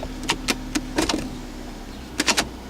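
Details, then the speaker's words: Ford Escape power window: low motor hum with irregular clicks and snaps as the glass travels; window catching and sticking in its run. "Let's see if you can hear it. Yeah, you can hear it. See, you just, you can hear it sticking into the"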